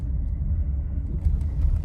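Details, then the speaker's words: Nissan Rogue driven right after an engine replacement at another shop: deep road rumble with dull knocks over small bumps, from a loose or worn sway bar link. "Just had the engine replaced at uh another shop and um I got in it to drive it and this is what I get. Can you hear the knocking"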